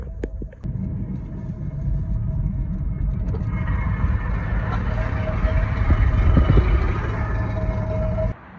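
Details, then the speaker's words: Vectra at highway speed, exhaust pipe fallen off its duct-tape repair about 200 miles from home: loud, deep, raw drone swelling with throttle, far louder than normal; pipe later zip-tied. "As you can hear, my exhaust pipe just fell off from the duct tape, so I have to stop somewhere, and I'm like 200 miles away from house."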